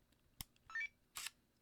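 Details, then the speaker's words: Leica D-Lux 1 digital camera, lens error fixed by helping the lens door and cycling power about ten times to re-spread lubricant on the gears and arms: quick click, short crisp lens-motor whirr, another click; extends and retracts normally. "Like your car window, that it has to push it up and come down. It has gears, it has arms, it has lubrication, right?"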